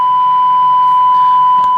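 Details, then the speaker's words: Kriesler 11-102 MultiSonic valve stereogram, alignment while peaking the first IF can: steady, pure single-pitch whistle through the speaker; IF alignment test tone. "I hope this noise doesn't drive you crazy as much as it is me I'm starting on the first if"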